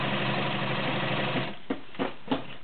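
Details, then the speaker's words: White Model 618B all-metal sewing machine with 1.3 amp motor, set up for tabletop sewing: smooth, even motor hum and steady needle rhythm, then it stops with a few light clicks; a smooth, quiet, healthy machine. "just fine for tabletop sewing as it is, or as I said before, you can put it in a carrying case or a cabinet. Beautiful, smooth, quiet machine."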